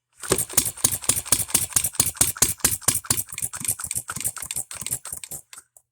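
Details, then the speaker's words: Economy hit-and-miss engine after new piston and rings, hand-flipped with starting adapter: sharp uneven popping firing strokes about two per second, running rough; owner suspects ignition timing advanced too far, firing too soon. "okay guys it's been about 15 minutes of me sitting here monkeying and tinkering and just general with this thing I think I have the timing way too far we're firing a lot sooner"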